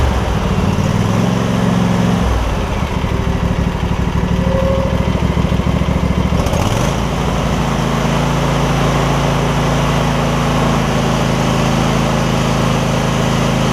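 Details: Husqvarna rider with 24hp Briggs V-twin, about 190 hours, after refitting a fallen-off exhaust pushrod on the right cylinder, no damage found: catches and settles into a steady, even run with no misses or knocks; normal running.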